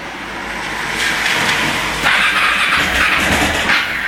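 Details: KTM 690 single: long, uneven cranking with a raspy starter and no firm catch, engine struggles to start; cause not clear.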